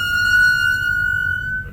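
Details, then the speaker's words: 2005 BMW 745Li after almost two months parked, brakes needing service: loud steady high-pitched squeal while the car creeps, cutting off as it stops; brake squeal. "I definitely know you guys heard that that's the brakes I'm not sure yeah I'm sure you guys can hear that it's pretty horrible"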